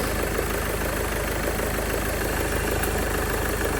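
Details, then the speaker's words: 2016 Mercedes B200d W246 diesel, just started after replacing the micro-V (alternator) belt and noisy, loose idler pulley: steady, even idle, no squeal, chirp or rattle; sounds much better than before, normal idle. "let me get it started and that already sounds much better because this car was sounding really"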